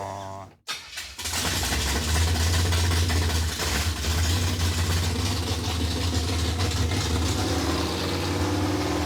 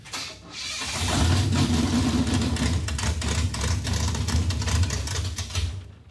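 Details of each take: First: Junkyard Chevy Tri-5 V8 with a small camshaft and dual-plane intake, after getting it running: it cranks and catches within a second, then settles into a steady, even rumble with no knocks or misses. Fixed and sounding healthy. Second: Junkyard 1957 Chevy revived after four decades: catches and runs lumpy a few seconds, then sags and dies when put in gear; ignition timing was retarded by mistake while trying to advance it, so it wouldn't take load.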